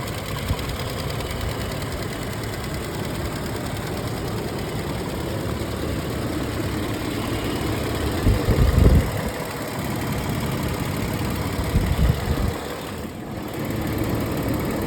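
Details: 2008 Toyota 4Runner, 1GR-FE 4.0 V6 petrol, 150k miles: light ticking knock at idle, about four beats a second over a low steady hum, mostly fading when revved and under load; owner suspects injector, valves or timing chain, cause unknown.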